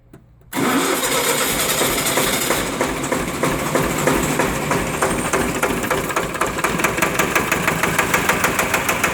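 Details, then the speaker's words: Onan 30 kW diesel generator, 4-cylinder Ford diesel, first start after bleeding air from injector pump: fires, then heavy uneven knocking beat about three per second, laboured; owner thinks it sounds like lugging but isn't sure. "see sounds like it's lugging but i'm not 100 sure it is"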